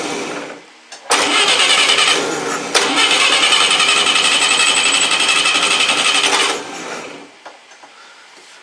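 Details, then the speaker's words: Atomic 4 boat engine hot-wired via the coil to check ignition, running without muffler: loud, raspy, steady firing beat for a few seconds, then cut off; runs like it's supposed to. "holy crap runs like exactly because it's supposed to like a car"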